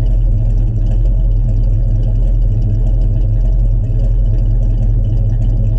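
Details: 1967 Chevrolet C10 stepside pickup, fresh cold start: deep steady rumble with even beat, no misses, knocks or squeals; smooth normal cold idle.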